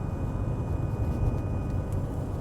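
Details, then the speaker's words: 2014 Ford F-150 test drive at about 50 mph: a steady low growl or groan under the road noise, heard from the front. A worn front wheel bearing is suspected, not confirmed. "sounds like the noise is in the front hear that kind of like growling or groaning noise"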